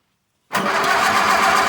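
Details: 1951 Case VAI tractor, started with starting fluid sprayed into the carburetor. It catches abruptly and runs rough and uneven but keeps running; the hard-start cause is unclear.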